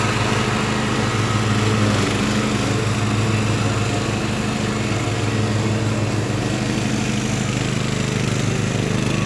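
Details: Craftsman LT1000 riding mower with swapped-in Briggs & Stratton engine, warmed up after a week unused, test-mowing tall grass: steady single-cylinder drone with blade deck whirring, holds speed under cutting load without bogging or surging; runs healthy.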